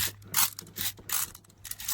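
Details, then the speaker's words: Seat belt retractor from a 2013 Toyota 4Runner rebuild, belt pulled by hand; irregular dry clicking and ratcheting, locking up; owner guesses the internal ball is loose and rattling, and the retractor has a charge, so likely no good. "horrible noises. So I'm guessing this mechanism in here, it sounds like the ball inside is loose, rattling around or something, but does have a ABS charge on it, so it's probably no good."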